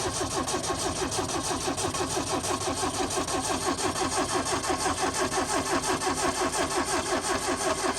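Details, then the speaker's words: Yugo with a stone-cold-dead battery on a booster pack: even starter cranking at about three turns a second with a chime behind it; cranking on a jump pack with a dead battery. "i thought we were going to lose battery there for a minute but she runs anyways we'll let her warm up"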